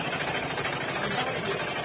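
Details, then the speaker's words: Sewing machine stitching a quilt makes fast, loud, regular clattering taps, louder than a smooth machine should; the owner says it is noisy, cause not evident. "అగో నందిని ఏం చేస్తున్నావే ఏమో టక టక అని కుడుతున్నావ్ ఏం"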